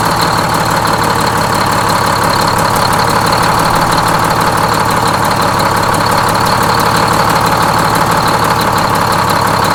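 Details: Freshly inframe-rebuilt Detroit Diesel 6-71N bus engine, with the idle being set at the governor: a loud, busy two-stroke idle with steady rapid clatter and blower whine, no heavy knock. Normal idle.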